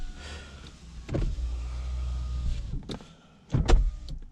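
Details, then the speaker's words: Saab 9-5 power window after lubricating the sticking window channel with silicone spray: steady even motor hum for about two seconds with no squeal or labouring, then a soft stop; normal operation. "see if it does anything better about better it sounds a lot better listen to this one"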